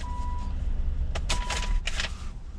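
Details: 2001 Nissan Maxima 3.0L VQ30DE with extended crank after sitting, after fixing fuel leaking into the intake manifold: catches promptly and settles into a low, even idle with no stumble or long crank; normal start and idle.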